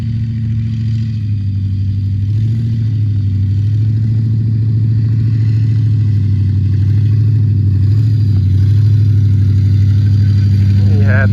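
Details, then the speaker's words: Old Ford Crown Victoria running on stale drained gas, driving through a field: engine pulls steadily under load with a faint strained drone from the power steering pump, described as awful; a hose underneath needs pulling out. Power steering pump noise. "And hear that power steering, it don't like it."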